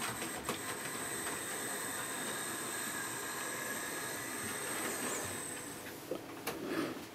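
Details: Hornby P2 Cock O' The North model loco after new replacement motor and two capacitors fitted, body back on: faint steady high whine over soft track rumble, even throughout, no grinding; former grinding noise gone, normal running.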